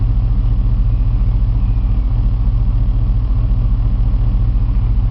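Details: 2002 Chevy 6.0L V8 idling with a deep rumble and an uneven loping misfire, cylinder 6 the worst. Bank 2 long-term fuel trim runs high and the bank 2 sensor 2 O2 reads high; no vacuum leak found, cause unknown.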